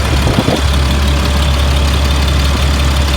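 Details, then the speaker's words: 2004 Blue Bird All American 72-passenger school bus, Cat diesel, warm after running about an hour: deep, steady diesel idle with an even low rumble and no knocks or misses; sounds good. "motor sounds good it's been running for about an hour"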